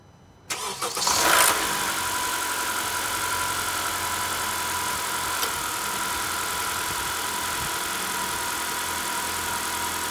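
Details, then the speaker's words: 2013–2017 Honda Accord 4-cylinder just after serpentine drive belt replacement (old belt looser): engine cranks, catches and settles to smooth idle with one brief click as A/C is switched on; no belt squeal or chirp, belt working fine. "có vẻ như nó đang hoạt động tốt Tôi vừa bật điều hòa và bạn đã nghe thấy tiếng ' click' sound Thắt lưng hoạt động tốt, cảm ơn đã xem."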